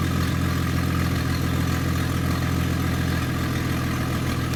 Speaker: okay so this is a 98 Jeep Cherokee and there's a hole in the exhaust pipe right before the catalytic converter so we're going to do an engine startup and see what it's like to start this noisy